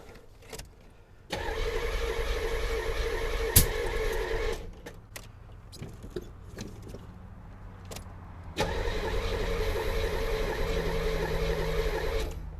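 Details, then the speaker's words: 1984 Corvette C4 from Copart, first key turn after a week of work including a water pump: starter churns in two long bursts of about three seconds but never fires; crank no start, has spark and fuel, owner guesses bad gas. "like it wants to run doesn't it there is so much fuel in there though"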